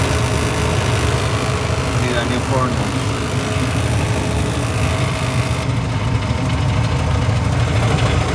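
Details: Furnace draft inducer motor: steady loud motor hum with a rough, buzzy edge holding constant throughout, running noisily.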